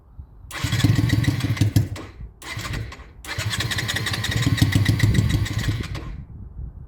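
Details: Honda Shadow restoration, after carb float work that had caused fuel overflow: catches, revs briefly, dies within a second or two, fires again and stalls. Owner suspects too much air or battery; unconfirmed.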